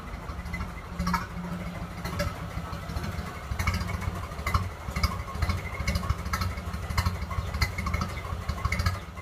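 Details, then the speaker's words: Early 1928 Ford Model A Tudor sedan with old reproduction muffler, before muffler replacement, not fully warm: low, slow, lumpy idle with irregular pulses, running a little rough. "Put it down to idle. It's a little rough. It's not completely warm, but we'll give it a shot."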